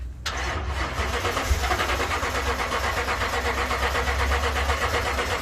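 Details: 2012 Toyota Tundra no-start: starter churns the engine steadily with a loose, uneven rhythm but it never catches; fuel pump ECU not powering the pump.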